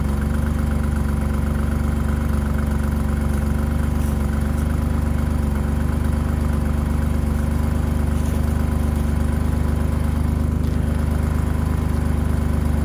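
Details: 1985 BMW 535i E28, M30 engine, cold start at 19°F after sitting for months: steady deep idle with a fast puffing tick from an existing exhaust leak where the headers meet the catalytic converter.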